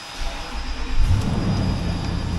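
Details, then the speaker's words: 2006 Lexus GX470 V8 with 146,000 miles, being parted out for rust and a bad transmission: it starts and settles into a deep, smooth, even idle without misses or knocks. The engine runs really nice. "so we'll start it up runs really nice"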